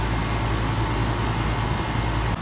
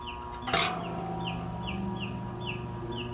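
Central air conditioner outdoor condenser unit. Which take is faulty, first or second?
second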